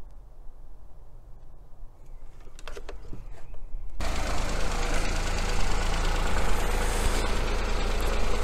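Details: 2018 Ford Fiesta 3-cylinder non-turbo petrol engine at idle during coil-on-plug misfire check with oscilloscope: steady low hum, no misfire stumble.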